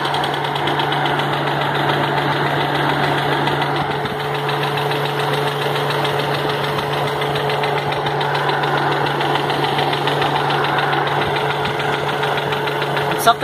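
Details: 1983 Subaru GL, EA81 engine: rough idle with a regular tapping knock keeping time with engine speed under a loud exhaust drone; internal knock suspected from piston no. 4, not confirmed.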